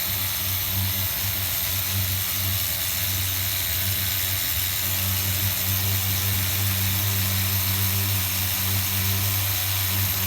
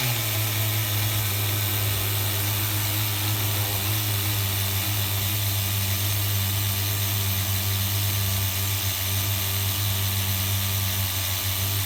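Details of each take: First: HPI RS4 Nitro F150 pickup RC truck glow engine on 16% nitro, leaned toward race tune with idle gap closed, around 190°F: steady buzzing idle with soft burbly low end; low-speed mixture still slightly rich. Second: HPI RS4 Nitro F150 pickup RC truck glow engine on 16% nitro, retuned after overheating to ~350°F: steady even buzz with no sputter or surging; running smoothly on this tune.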